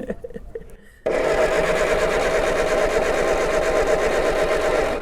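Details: Backyard-found MG TD with a points distributor whose points are corroded: about four seconds of steady, even starter cranking and the engine never fires. It cranks but won't start because no ignition power reaches the coil.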